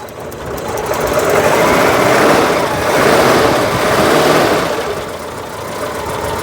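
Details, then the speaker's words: Citroen GSA air-cooled flat-four, just started after fuel reached it: uneven idle with faint irregular crackling tick about twice a second, electricity escaping from worn HT leads that need replacing; HT lead arcing. "now oh I can hear I can hear electricity escaping from the HT leads they really do need replacing"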